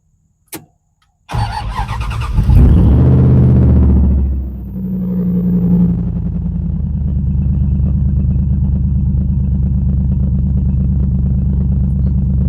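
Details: Dodge Dakota with Mopar Magnum V8, first start after throttle body cleaning, a new battery temperature sensor and a battery disconnect to reset the ECU: short crank, quick catch and rev flare, then a steady even idle with no misses.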